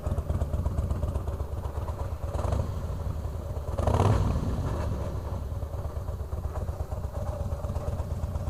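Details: 2004 Harley-Davidson Fat Boy, about 5,000-6,000 miles; lumpy V-twin idle with a loose, irregular metallic clatter from the bottom end: loose compensator bolt/nut rattle, fixed by torquing to 150 ft-lb with blue Loctite.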